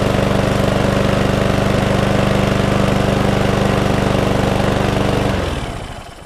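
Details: Cheap single-cylinder lawnmower that would not stay running, after fuel tank flush, carburetor clean and excess oil removed: even, steady putter, no misses or surging, then clean shutdown; mower runs properly.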